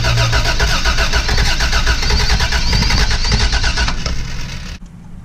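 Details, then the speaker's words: Barn-find Toyota FJ62 (291k miles, parked 10 years), freed seized rockers, spark confirmed, fuel pump fed from a tray of gas: steady starter churn about four beats a second with faint firing catches, oil showing in pressure gauge line; cranks but won't start. "like she's trying to start and there is oil in the oil pressure gauge line"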